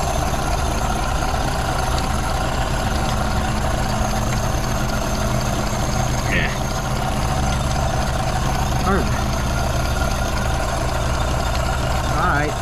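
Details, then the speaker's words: 1932 Ford Model B 5-window coupe four-cylinder, warm, after exhaust/intake manifold gasket replacement (cracked exhaust manifold), bolts retorqued to about 30 ft-lb: steady, even low idle rumble, no hiss or stumble; no vacuum leaks, running pretty good. "all right well it sounds like it doesn't have any vacuum leaks it's running pretty good"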